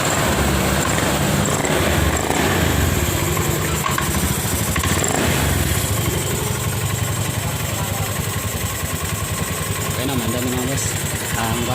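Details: Honda Beat FI scooter that would not start with check-engine error 12 (fuel-related line circuit); after repairing a broken wire, the engine idles steadily with an even, quick putter, no misses or knocks.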